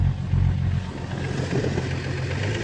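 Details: Audi 3.0 TDI revved after injector seal repair with new copper washers and O-rings: deep, even diesel drone, smooth steady rev, no misfire or shake; tapping gone and shaking reduced, though some black smoke remains.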